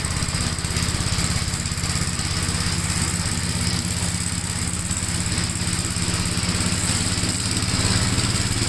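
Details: 1957 Gravely tractor during mowing test after air cleaner service; steady, even single-cylinder thump under mowing load, no misses or knocks; engine running healthy.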